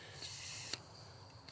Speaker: I'm hearing that the Schrader valve is very touchy on the low side it's already sucking vacuum